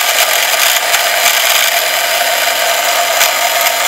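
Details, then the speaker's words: Omnibot 2000 quad-motor two-speed gearbox driven by hand: steady, gritty high-pitched whir with a fine crackling rattle. Owner suspects a loose grommet rattling inside and plans to fix it. "crackling noise here. I think it's a grommet, just kind of rattling around just a little bit, but I think I'll get that problem fixed."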